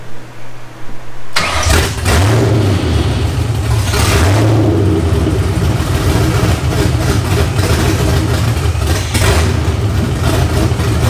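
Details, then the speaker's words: First start of cammed 1999 Ford Mustang GT after rebuild, open headers, awaiting new tune; cranks briefly, fires, blips a couple of times, then holds a loud, lumpy but steady V8 idle; sounds pretty good; normal start and idle. "it runs and it actually sounds pretty good it's a little loud obviously with open headers"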